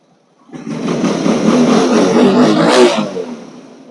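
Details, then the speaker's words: Motorcycle engine after repair of a loose flywheel/magneto knock and exhaust modification: picks up and revs smoothly, settles back cleanly, no knock or tapping; normal engine revving. "الصويت ديال الماكينه بلاصتو."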